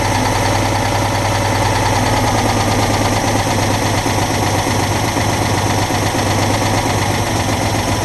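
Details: Citroën Dyane 6 flat-twin, after carburettor cleaning and jets cleared of dirt that got past the fuel filter; previously would not hold idle and stalled. Now loud, steady idle with unchanging beat, no dips or stalling, idle fixed.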